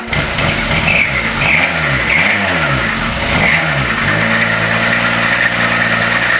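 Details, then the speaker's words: Renault 11 engine idling after starting and revving, with a faint high chirp coming and going: belt noise. The belt looked burnt and was replaced anyway. Owner suspects a slipping belt or the alternator, still to be checked. "bon quand tu peux entendre il y a le bruit de courroie mais je pense que c'était pas moi donc j'ai changé quand même la courroie"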